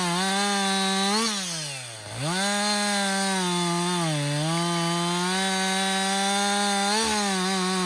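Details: Husqvarna 562XP 60cc chainsaw, back from the shop after dealer reflashed its software for dying when hot and stumbling, bucking dead windfall about two-thirds of a tank in: strong steady two-stroke scream sags briefly in cut, recovers cleanly; healthy under load.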